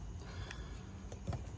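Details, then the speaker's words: 2008 Honda CR-V EVAP purge valve solenoid energized with a Power Probe from the battery during diagnosis of a check gas cap warning. A few sharp clicks in under two seconds as power is applied; the solenoid is switching. "once you have a good connection on the purge valve press the button and you can hear it clicking so that's a good"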